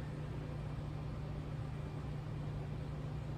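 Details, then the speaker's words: 55 Buick with turbo LS, twin PCM-triggered fuel pumps: in-tank pump alone, fuel reaching surge tank and returning to main tank; smooth constant low drone, no surging or whine; normal fuel pump operation. "but it looks like now I have fuel all the way into the surge tank and returning back to the main tank because the pump sounds steady in the tank"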